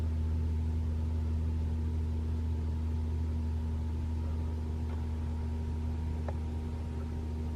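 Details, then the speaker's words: 2021 Toyota RAV4 Prime SE in EV mode while plugged in charging, Auto climate on with AC off, about 41°F outside: steady low heat pump hum with a faint constant tone, smooth with no knocks, running normally. "I can you can hear a humming all right you can hear humming of the uh the um the heat pu"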